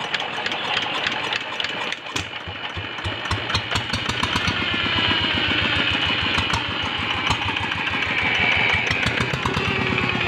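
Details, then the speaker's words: Single-cylinder diesel tractor engine with a power problem while working rice fields: it catches and settles into a heavy thudding beat of about 200 a minute. Low power; the cause is still unknown. "Nah di sini sudah kita lihat mesin sudah hidup, jadi suaranya agak berat ya guys, sehingga menyebabkan tenaganya kurang waktu dipakai menggarap sawah di lokasi ya guys."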